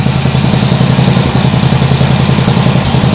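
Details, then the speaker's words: Nibbi G619 walk-behind tractor engine after carburettor work, throttle handle at its lowest position: smooth low putter of three or four beats a second, steady like a sewing machine with no stumbling; normal idle, better than before. "that sounds great really great and the throttle handle is in in the lowest position I don't believe that it would do that before"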